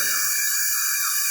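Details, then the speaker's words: Bosch Professional GWS6-100 angle grinder (11,000 rpm, 670 W) after new armature, run through a 200 W series bulb while tapped lightly to seat it: steady high-pitched whir, smooth and healthy. "Wherever you feel that the sound is coming out smoother when you hit it on the side, in that way you can set it a bit,"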